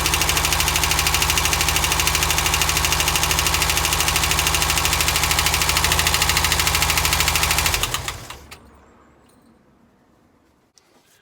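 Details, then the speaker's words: VW T25 after carb flange fix, previously high-idling; steady, even idle with crisp regular beat and no hunting or high idle for about eight seconds, normal idle after repair. "Does it still high idle, or is it better? Sounds pretty good to me."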